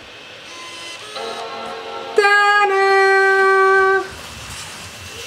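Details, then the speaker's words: MacBook that shut down after a screen glitch on low battery and beeped three times without booting, after putting the two removed parts back in: single clear ringing startup chime for about two seconds; it turns back on normally, fixed. "and as you guys see it turned back on"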